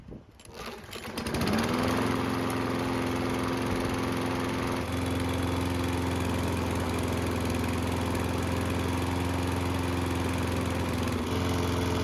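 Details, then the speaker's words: Free Toro mower after new belt, started with two pulls cold: pull start catches and settles into a steady buzzing run with an occasional stumble; slight engine miss, cause unconfirmed. "There's also a slight miss while the engine is running"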